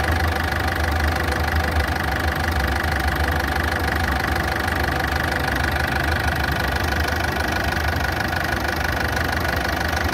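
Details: Ford Fiesta engine idling with light, fairly even ticking about twice a second over a loud, coarse running note; cause unclear.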